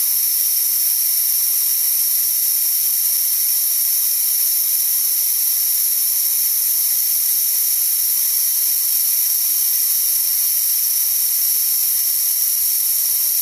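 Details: DeWalt D55146 air compressor after the motor shuts off near 200 PSI: a steady high hiss keeps bleeding back as the leaking tank check valve lets air by, dropping pressure to about 160 PSI before it restarts; check valve needs replacing.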